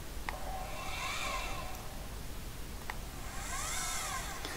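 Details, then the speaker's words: Celestron telescope mount driven under remote control through RS232-to-USB: smooth motor whir that climbs and falls in pitch over two slews, no grinding or clicking; the mount drives normally. "so I'll just drive it around a bit so you can see that it is indeed under remote control"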